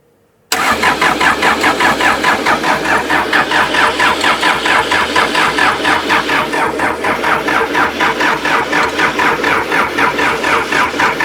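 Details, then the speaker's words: Pond-sunk backhoe diesel after seven months: fuel reaches the pump with the hand fuel lever turned full on. About ten seconds of steady, even starter chugging with no firing. Crank, no start. "Aha. Well, that would be one of our problems. We do not have a functioning fuel lever. It's bent in between the two somewhere."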